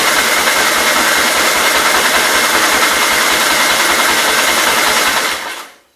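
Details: 1944 L tractor, free project, untouched, choke on and fuel turned on: starter spins the engine in an even chug about three and a half beats a second with no firing; fuel likely not reaching the float bowl, crank no start.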